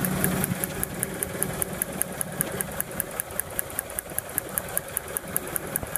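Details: 1996 Honda Accord with code P302 that almost dies at idle: sharp electrical snaps a few times a second over a low, uneven idle. The spark plug wire boot fires out the side, so cheap aftermarket plug wires cause the misfire.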